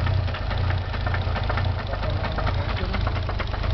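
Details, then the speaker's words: Nissan 300ZX twin turbo at a rough, uneven idle, hunting and hesitating to stay running with exhaust barely puffing, and a steady light knock over the low rumble; the owner says it could be a bearing, unconfirmed. "sound it's making. You can clearly hear it's could be a bearing."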